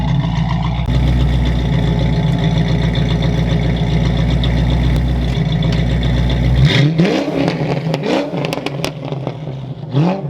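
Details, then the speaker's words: Fox-body Mustang V8 (about 200 hp) with BBK shorty headers and full 2.5-inch exhaust replacing restrictive 2-inch over-axle pipe, on street: deep steady rumble pulling strongly then easing off, no rasp or leak; normal exhaust note. "all right there you guys have it it's pretty good this thing sounds way better it's not restricted anymore by having a two inch over the axle now it's a full two and a half inch"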